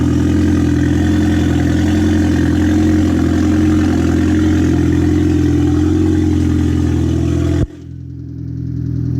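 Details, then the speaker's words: Freshly rebuilt Audi A4 2.0T FSI engine with a K04 turbo kit, first startup, some oil residue burning off: smooth even idle with light injector ticking and no squeals. Normal idle. "I mean, I hear the injectors tapping a little bit. It sounds pretty quiet, not too bad. Everything's running pretty good. No squeals, no nothing."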